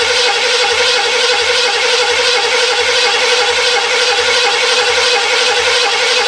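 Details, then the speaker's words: 1982 Ford Granada run after sitting parked for years, fresh gas, temporarily wired fuel pump, dry unprimed carburetor: cranking then catching, steady pulsing about 86 beats a minute, loud and bright from open headers; cranking and first start. "i'm hoping to crank it a little bit before it actually fires maybe build up a little bit of oil pressure but whatever let's turn the key and see if it'll fire up"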